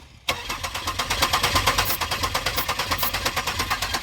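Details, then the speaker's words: Abandoned 2002 Pontiac Grand Prix GTP, sensor pulled so brake cleaner can be sprayed into the intake while cranking. Steady cranking at about three turns a second, never fires; no spark or the crank sensor is suspected, not confirmed. "maybe it's not sparking either"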